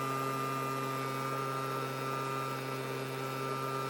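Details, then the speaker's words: Small two-stroke engine before any tuning, choke on at medium, part throttle: steady buzzy drone, a bit uneven and flat. It runs poorly, cause unconfirmed. "and then I started it and it started ran really bad though"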